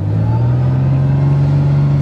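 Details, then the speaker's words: Cold start in December snow of a car not started since April, after the coil wire was reconnected: the engine catches and settles into a steady, even low hum with no misses or knocks. A healthy cold start. "Sweet. Can't believe it. Ugh, this damn door don't work. Oh, well. You can trust your blunder turd anyways. It starts in the snow."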